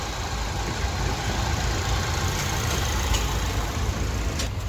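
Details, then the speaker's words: Suzuki SX4 petrol/CNG car that long-cranked and misfired on petrol after sitting 3–4 months; after fuel pump replacement, tank and throttle body cleaning, and spark plugs: steady, smooth idle, no knocks or dips; runs perfect. "य पर देख सकते इसका आ एकदम एकदम perfect है"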